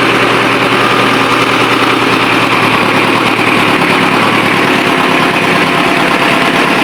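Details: Ford 6610 tractor diesel at steady idle just after overhaul (4 new liners and pistons for smoky running) and hydraulic O-ring kit repair; loud even low throb and constant clatter, no misses or knocks, running normally.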